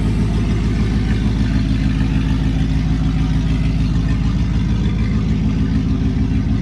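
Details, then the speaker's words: LS1 V8-swapped Nissan Patrol, first start after sitting a while on a freezing day, backfired during cranking, fuel possibly low; steady V8 idle held high while cold, lopey cam, no tapping or misfire; idling smooth, normal. "But she is running. Holy shit. Idling pretty smooth. So it's got a cold start idle obviously,"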